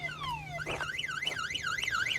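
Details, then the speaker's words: 1966 Ford Mustang with newly installed aftermarket alarm: two falling chirps then fast rising-and-falling siren wail about twice a second, triggered by door opening; phone alert confirms; siren working normally. "Vehicle alert. Your alarm is sounding on your vehicle. And it tells you that the alarm was triggered by door opening."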